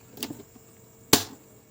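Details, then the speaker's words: C.R.I 1HP single-phase submersible pump panel-box starter after repair; it had stayed on only while the ON button was held until the connections were corrected. Two crisp clacks about a second apart, then quiet: the contactor pulls in and latches properly. "Starter అనేది పర్ఫెక్ట్గా work అవుతుంది."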